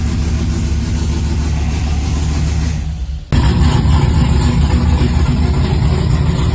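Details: LS-swapped (4.8/5.3) 1990 or 1995 Chevy OBS truck: deep, steady rumbling idle with even firing and no knocks, stumbles or misses; the V8 sounds like it is running on all cylinders; normal idle.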